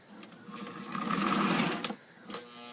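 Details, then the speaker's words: Old post-war Lionel 2037 locomotive, beat-up, running on the track before cleanup: a small motor whirs up, runs loud and rough with a gritty grinding edge, then fades with a few clicks. "it's kind of loud you can hear it grinding in there"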